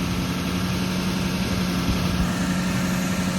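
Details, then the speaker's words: 2006 Lexus LX470 at 315k, first start after HeliCoil repair of its ticking, choo-choo-train-like noise: smooth, even low idle with steady faint hum and no ticking; healthy idle. "It had a tick noise. It sounded like a choo-choo train before. I'll be damned. And there's the fucking low idle. It's got a little hum to it,"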